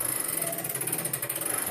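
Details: 1765 John Owen longcase (grandfather) clock being set up: quick even ratchet clicks about ten a second as the weight cord is wound onto the drum with a winder; healthy winding click.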